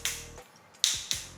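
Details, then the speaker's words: Sharp papery taps from a floor-checking rattle stick on a tile ring hollow, sounding different from solid tiles, indicating a void beneath; checked in a new unit after handover for warranty claim. "Nah ini kopong ya. Suaranya beda pokoknya kalau yang kopong sama enggak."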